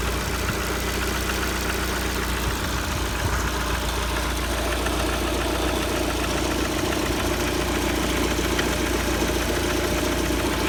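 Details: Lada Kalina 1.4 petrol at 70 °C coolant, idle: an irregular light tapping about three to four times a second over the engine note; the knock's source is unclear and the owner wonders whether it needs an overhaul.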